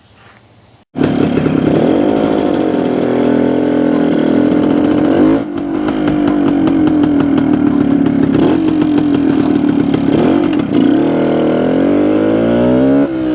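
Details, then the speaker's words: 1972 Suzuki TS250 two-stroke after fixing a fuel delivery problem with carburetor jetting, 170 jet in for altitude: crisp buzz revs up and drops back cleanly, then holds a steady note, more responsive; problem fixed. "sounds like we got our problem fixed well foreign"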